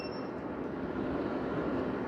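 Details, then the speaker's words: BaseAire AirWerx 55 dehumidifier just switched off after running a few minutes. The fan hum continues evenly, with no knocks, during the normal shutdown delay while the compressor cools before the unit stops. "now there is a delay in the um shut off phase it has to kind of cool down the compressor and then it will shut the unit off"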